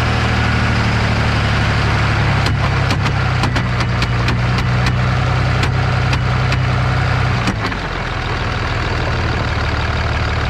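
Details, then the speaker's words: 2003 Dodge Ram 2500 Cummins 24v diesel, 5-speed manual, NP271D transfer case. Irregular sharp snaps and clunks over a low diesel drone as the stretched chain slips. It still gives some traction, but driving it this way leaves metal shavings. "it does give you a little bit of traction because it's not completely slipping [Music] but that's what it sounds like you really don't want to drive it like that too much you end up with a bunch of metal shavings in there"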